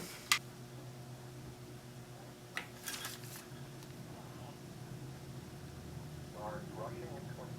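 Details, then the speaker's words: Restored early-1920s Westinghouse Aerola Sr. radio with a single WD-11 tube on a long outside antenna; faint program audio barely above steady mains hum with clicks; working but very low speaker volume. "Doesn't make much noise in the speaker, but you can hear it. So one WD-11 does not give you much speaker volume."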